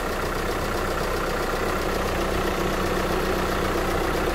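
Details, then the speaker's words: VW Crafter diesel campervan idling hot after cambelt, water pump and cooling system refit, coolant bled: loud, even clatter at steady idle, no misses, surges or gurgling; healthy and settled. "oh it's red hot now we'll get no gurgle and noises when we turn it on i think that's it bled up"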